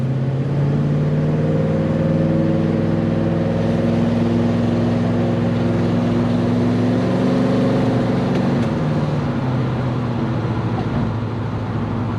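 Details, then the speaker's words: Chevelle V8 on its first drives with a new transmission: steady rumble with a faint quick ticking about three a second. Owner suspects a couple of new exhaust leaks, noting black marks underneath; cause unconfirmed. "I need to get back under there and work on that exhaust a little bit more. It definitely sounds like I've got a couple of new leaks under there. You just kind of hear it ticking away,"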